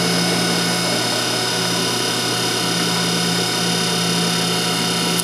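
Centrifugal water pump running steadily with an even rushing hiss and low hum, no crackle of cavitation.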